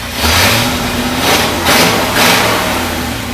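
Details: 1973 International Loadstar Blue Bird bus engine, after an accelerator pump diaphragm replacement, gives three crisp throttle blips with no stumble or hesitation and revs freely and healthily.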